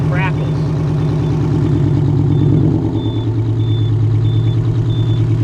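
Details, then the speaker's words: 1983 GMC General truck revived after sitting in the ground, apparently straight-piped with no muffler, 55 psi oil pressure at idle: deep loud even two-stroke diesel rumble, steady beat, no knocks or rattles; sounds good, healthy idle. "this baby got 55 lb of oil pressure at idle it sounds so good though doesn't it I think it's straight piped already"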